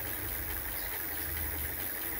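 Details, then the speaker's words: Electric bicycle hub motor at full throttle with the wheel lifted on a stand: a steady hum with a buzzy rattling vibration, louder than normal because the wheel is unloaded; it normally runs quieter. "Askıda olduğu için titriyor ve ses yapıyor. Normalde bu kadar ses yapmıyor."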